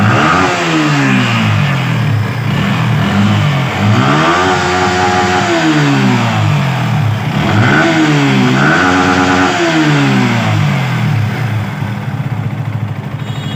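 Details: Yamaha R15 V3/V4 single-cylinder bike, checked for engine and VVA noise: blipped repeatedly, revs climbing and dropping cleanly with no knocks or rattles, smooth and healthy.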